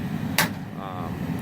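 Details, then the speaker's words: Oil-fired boiler heating system after service: two sharp bangs over the boiler's low hum from air trapped in the hot water pipes, being slowly drained out. "and yes you hear that banging noise and means I've got air in the system I've been slowly draining it out"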